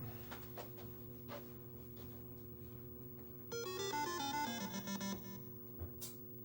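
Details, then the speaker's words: Arcade machine fluorescent light fitting: a steady low electrical hum runs under music as the ballast hums; the ballast is to be changed because of the buzzing. "hear that buzzing sound that humming [Music] sound ballast is humming that's why they didn't have a bulb in there"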